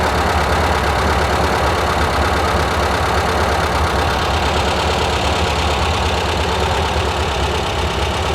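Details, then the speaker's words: 1971 VW Squareback air-cooled flat-four, engine reinstalled with new valves and 40mm carbs, valves adjusted, exhaust needing replacement: steady even idle with no knocks or misses, running fine; valve cover still leaking oil. "sounds good running fine make sure I don't have an oil leak"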